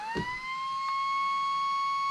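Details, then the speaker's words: RC car cooling fan, cleaned of packed dirt from camping with an air compressor: it spins up to a clean, steady high whine with no rattle or scrape. The debris was the only problem. "that thing moves a good amount of air wow so yeah I think that's all it was was just the debris"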